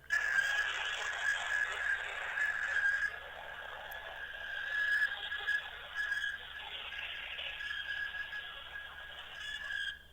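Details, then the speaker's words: Old Samsung keypad phone switched on after charging, sounding during a call: a quiet wavering whistle near one pitch comes and goes over a soft hiss for about ten seconds; cause unknown, owner wonders if it is a glitch. "A weird sound from old Samsung mobile. I don't know what is this."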